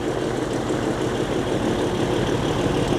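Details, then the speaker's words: 1983 Beechcraft Bonanza B36TC after sitting about 13 years, first start, fired within two prop turns; low, even engine idle with a steady beat and no misses; running smooth, normal idle. "here dude what it's running perfectly smooth perfectly smooth dude that was crazy it was like what two prop turns two turns it fired right off"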